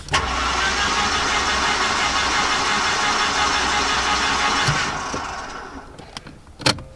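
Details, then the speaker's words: Mercedes-Benz 190E garden find, long stored, cranked on the key with spark plugs removed: even steady whirr with no compression pulses for about five seconds, oil pressure rising; normal cranking. "Yeah, just on the key. It's got no spark plugs in, remember."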